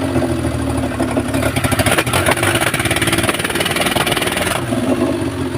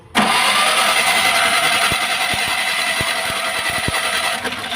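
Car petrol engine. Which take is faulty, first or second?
second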